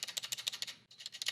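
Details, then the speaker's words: GK64S mechanical keyboard, delete-key plate-mounted stabilizer: rapid sharp, tinny clacks with a loose buzzy rattle on each press; stabilizer rattle. "so key there and listen to that it's really rattly"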